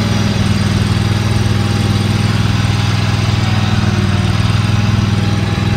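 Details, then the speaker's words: Used Dixie Chopper XG2503 zero-turn mower with Generac gas engine, started after seat sensor engaged, running and revving; even, steady engine beat without misses or hunting; motor sounds good, revs up nice, all handles work; normal running. "this thing appears to be a good working order motor sounds good revs up nice all the handles work"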